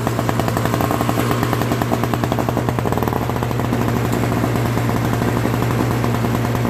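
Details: Old Craftsman 5 hp single-stage snowblower, Tecumseh engine, started right after carburetor cleaning and replacement of a leaking, fuel-filled float: steady, even small-engine chug with a firm low thump and no misses or stumbles; carburetor now feeding it properly.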